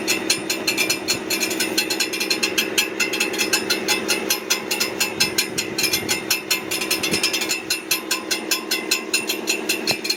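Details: Brand-new 2023 Ford F150 with 400 miles running: fast, sharp metallic ticking and light clanking over the engine, heard near the transmission; cause unknown.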